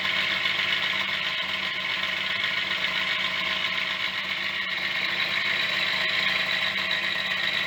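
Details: Yamaha DT50MX two-stroke, restarted after sitting about a year on choke with dead battery: loose tinny rattle about four a second over buzzy idle, "sounds like a bag of bolts"; owner suspects cheap main bearings, unconfirmed.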